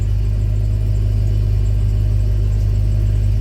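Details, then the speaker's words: 2004 Itasca Suncruiser RV, 96K miles, just after replacing the original fuel filter and priming the pump: steady low rumble with an even idle and no misses or knocks. "it may it may miss a minute once that air gets worked through and i'm gonna let it run and i'm gonna go check for leaks"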